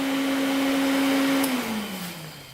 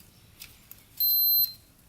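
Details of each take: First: 500cc Honda-engined custom pulling tractor that sat unused, powered via jumpers: steady clean motor hum at one pitch, then sliding lower as it spins down; cooling fan runs properly, though starter solenoid doesn't work. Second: Custom pulling tractor with a swapped-in 500cc Honda motorcycle engine, long sat non-running: meter on the electric start button gives one short half-second beep, so the button only makes contact briefly; intermittent start button contact.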